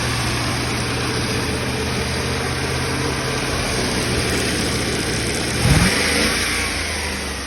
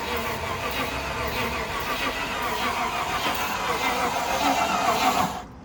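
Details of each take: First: Cheap Land Rover Discovery 1, now running after the next owner got it going: steady, even V8 rumble with a brief blip of revs that settles back down; the engine starts and runs smoothly. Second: Cheap Land Rover Discovery 1 that had lost spark, owner wondering whether it was sabotaged: steady starter whirr for about five seconds that never catches, then cuts out; a no-start caused by the alarm immobiliser lockout.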